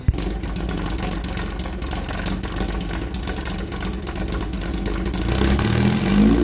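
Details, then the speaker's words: VW Bug air-cooled flat-four with points ignition, just static-timed with a test light: starts and holds steady chatter, then revs cleanly with throttle, no misfire; normal running. "Your motor should run pretty well, because most bugs time at that."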